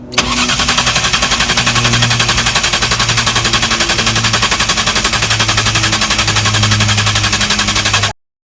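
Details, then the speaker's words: Rare 1999/2000 Jaguar S-Type sports manual with five-speed Getrag gearbox, after dual-mass flywheel and clutch replacement; starter cranks steadily about four turns a second for eight seconds, never catches, no OBD fault codes. "It failed to start."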